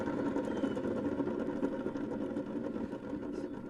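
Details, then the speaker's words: Bad Boy ZT Elite zero-turn mower deck: a dry roaring whir with rough ticking three to four times a second. The spindle bearings can't be greased and are dry, not failed; due for replacement. "my pulleys ain't out they just dry see she can't grease them and they just dry and make that roaring sound"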